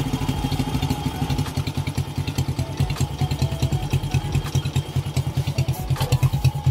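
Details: 2003 Honda Wave Alpha 100cc, first start after overhaul replacing a loose countershaft transmission bearing: steady, even single-cylinder putter at idle, no knocking or bottom-end rattle; quiet and healthy, only the loose handlebar is slightly noisy.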